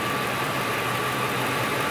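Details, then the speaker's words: A DIY oscilloscope-based stethoscope probe at the base of a fuel injector picks up fine, steady ticking over a faint idle hum, synchronized to the injector command. The injector is opening and closing normally. "the Sena scope can hear it and then we get a visual representation and the syncing is absolutely essential"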